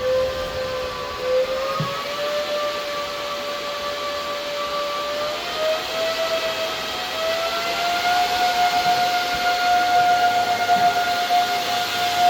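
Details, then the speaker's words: KD6 Kadena ASIC miner powered on for the first time, drawing about 175 W and not yet mining: a steady airy roar whose tone climbs from about 550 to 700 Hz as the fans ramp to max speed. Only wind, no heat; normal. "it's getting pretty loud I think that might be Max Speed really at 175 wats so I can't be mining yet no heat coming out just wind at the moment"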